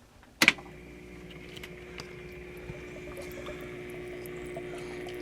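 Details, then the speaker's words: Homemade workshop heater after an antifreeze change, circulation pump started: a clunk, then steady pump hum with trickling and gurgling as air bubbles purge from the coolant lines before flow and pressure build. "purging some air [Applause] bubbles let that Purge and build up a little pressure in the lines and make sure it's circulating well"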